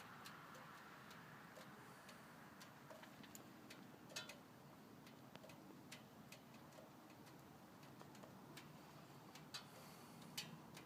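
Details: 1998 Ford Escort SOHC petrol idling quietly with light steady ticking, no crankcase squeal, after rerouting PCV system (suspected pinhole leak at block caused squeal like slipping belt). Normal idle, no crankcase squeal.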